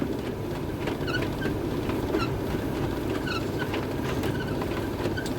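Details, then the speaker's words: LG condensation dryer running with the top cover removed, complaint of abnormal noise during running: a steady rumble with a short squeaky rub about once a second. "the machine is running actually it's coming like a fixing noise"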